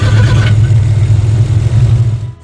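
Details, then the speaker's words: Old VW Beetle with remanufactured crate engine, ignition and carburetor, which bogs down and dies after running; after tapping carb: uneven wavering engine note that sags and cuts out; getting fuel, suspected carburetor issue, nasty-smelling fuel, no accelerator pump. "Yep. So I do believe we've got carburetor issues here. It's getting fuel."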